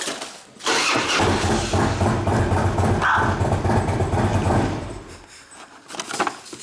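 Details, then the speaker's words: 2004 Harley-Davidson FLHT Twin Cam touring, battery 13 months old reading about 12.5 volts: labored starter grinding about two turns a second that sags and slows; weak, dead battery. "12 and a half. It's hard to do with one hand, you know. Means the battery's dead, right?"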